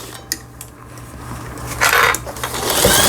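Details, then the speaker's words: Singer 8280 sewing machine after repair, sewing three-step and other stitches: light rapid needle chatter picking up speed, no knocking or grinding; normal sewing machine running. "세발뜨기 바느질, 각종 기능들 정상적으로 박음질이 되고 있습니다."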